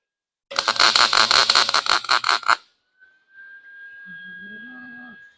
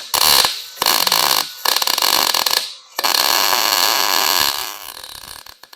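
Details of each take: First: Lincoln 140 Pro-MIG, 110 V welder, test weld after setting drive-roll tension to six, before blowing out the liner: arc spits in uneven crackling bursts, stuttering about three times a second instead of a smooth sizzle; wire feed speed still too fast. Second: Lincoln 140 Pro MIG 110-volt welder, customer complained of fast-slow wire feed, running a bead with wire turned up slightly: steady crackling sizzle like frying bacon; wire feed and arc running smoothly, welding decently.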